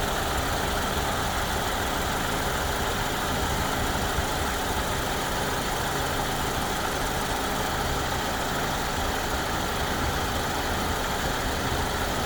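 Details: 2014 Ford Escape 1.6L at idle after AC has run a while and pressure built up: thin, steady high buzz over even idle from the externally controlled variable displacement clutch compressor; AC compressor buzz, owner unsure if normal.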